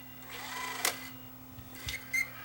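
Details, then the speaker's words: Tascam DA-P1 portable DAT recorder received as a parts unit: faint motor whir with short high chirps as the mechanism loads. The rubber drive belt is worn, turning sticky and slipping, and is due for replacement. "Is that all? It's just a belt that's shot? Well, yeah, the belt is definitely slipping."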